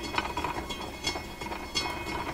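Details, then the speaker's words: Electrohome console Webster turntable at 45 rpm with power restriction, after re-surfacing the intermediate idler wheel with glued rubber: light rhythmic clacking about once a second over faint whir, worse at full power; wheel bumping unevenly, repair failed. "Now you get to hear the schmozzle here. Listen to it. You think a train is coming down the tracks or something."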